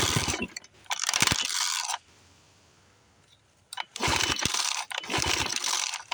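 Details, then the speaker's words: 1976 Johnson Seahorse 9.9 outboard, 30+ years stored, no cooling water, after purging air from the fuel line. Two bursts of rapid ratcheting pulls with a brief kick that dies at once; it is not getting gas, and the carburetor is to be serviced. "yeah just not getting gas so I'm going to continue on with the carburetor and uh take it from there"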